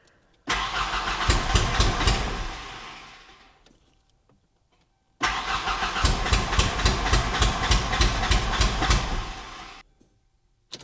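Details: 1991 Ford Ranger 2.3 whose previous owner replaced coil packs, ICM, pump and ECU. Timing is believed correct and spark is now present. Two long cranking spells, the engine turning steadily but never catching, then silence. Crank no start; the gas smells rotten and at least one injector fires.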